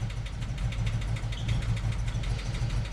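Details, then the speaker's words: 1988 VW Vanagon after replacing clogged mid-pipe, catalytic converter and muffler, possible leak at broken exhaust bolts: quieter but lumpy uneven idle with dropouts and whole engine shaking; misfire, cause unknown, owner considering spark plugs first. "it's definitely misfiring a bit it's quieter obviously quieter but come check this out"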